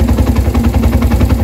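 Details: Suzuki Thunder 125 after repairing a broken wire behind a charging problem and stalling: quick, even single-cylinder putter of about ten pulses a second, steady with no misses or knocks; healthy idle, charging about 13.2–14.3 V.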